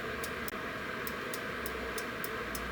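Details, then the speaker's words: Second boiler control board (Beretta/Riello/Carrier, error A01) with same fault: relay clicks sharply about three times a second, pulls in but broken contacts fail to switch; test lamps try to light but cannot. "эта тоже Рел сломана Сейчас покажу, сломана Посмотрите, как лампочки пытаются загореться, но не могут, посмотрите"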